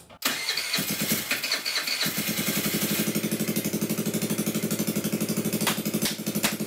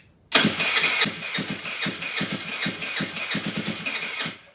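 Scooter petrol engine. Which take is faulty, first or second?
second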